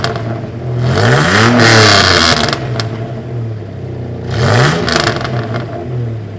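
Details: 1989 Toyota Pickup just after fitting a used exhaust from the downpipe back, sleeved and welded: two throttle blips bring a harsh raspy edge rising with revs; quieter overall but raspier, pointing to a holed muffler leak.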